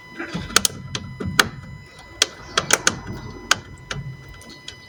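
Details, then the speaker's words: Fiat front suspension, steering turned with car practically stopped during manoeuvring: irregular sharp clunks and snaps from a failing strut top mount bearing. "so the customer says he is turning the steering wheel with the car practically stopped you can hear a clunky noise"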